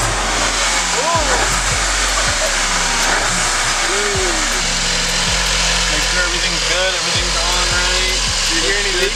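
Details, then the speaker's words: 2017 VW MK7 Golf just after installing a Unitronic turbo elbow. Smooth, even idle with steady exhaust hum, no hiss or whistle; no leaks found and it sounds good. Normal idle. "That's a super It sounds good. Sounds like a fat sucker."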